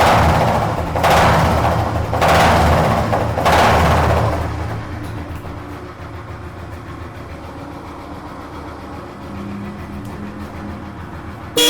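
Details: Old Royal Enfield Electra after a general service, with a metal flap added to the exhaust for the old beat and the white smoke fixed: a few throttle blips, then a slow, even low idle thump with no misses or rattles.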